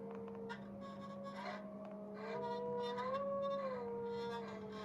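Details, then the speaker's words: Homemade guitar sustainer driver amp left on, even with guitar unplugged: steady tone near 200 Hz with wavering sliding howl above, nothing played, runaway feedback oscillation. "The cool stuff is that it's hard to leave this on unplugged because it sort of starts howling like the guitar. Even if I plug out the guitar, it's gonna start howling."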